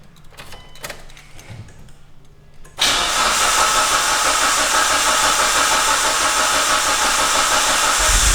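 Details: Mitsubishi Evo 6 Tommi Makinen Edition started after sitting about six years, oil pressure confirmed first: quiet until a sudden catch, then a steady, even, loud running note. Normal start and idle.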